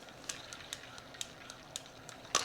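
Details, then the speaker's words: Spinning fishing reel, 550 SSG, being cranked; sharp light ticks at a regular pace as the spool oscillates up and down, louder at the top of the stroke, the oscillation click. "what is up guys and gals today we're going to tackle why our fishing reel might make that ticking sound when it goes up and down just like [Music] that"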